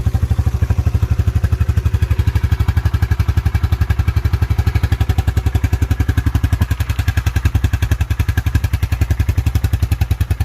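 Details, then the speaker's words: 1987 Yamaha Moto 4 YFM-350ER 350 ATV, new carburetor and fuel tank valve with filter; started right off without choke, ice cold engine; low deep single-cylinder thump about 230 beats a minute, steady without stumbling. Normal cold idle. "she started right off no choke ice cold engine"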